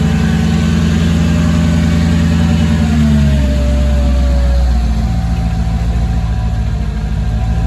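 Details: Mercedes C55 AMG V8, first start after relocating the battery to the trunk, in neutral: brief rev settling into a deep, steady, smooth idle with no misses or knocks; normal start and idle.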